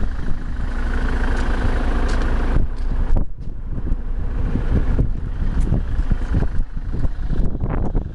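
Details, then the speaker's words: 2010 Ford Transit 350 Jumbo extra-long-wheelbase diesel van at idle: deep, even rumble with no knocks, misses or rattles; smooth, steady, healthy. "as you can hear it's sitting taking over nice smooth steady"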